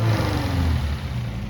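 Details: 1971 Toyota Celica RA20 18RG/18RG-U with dual Weber 40 DCOE carbs and electronic ignition, after a new cap, rotor, plugs and wires and Marvel Mystery Oil in the cylinders for whitish smoke: deep, even rumble with a steady beat and no misses. Idles smoothly.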